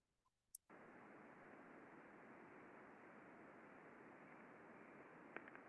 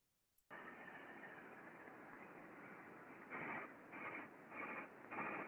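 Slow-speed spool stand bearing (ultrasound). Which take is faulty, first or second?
second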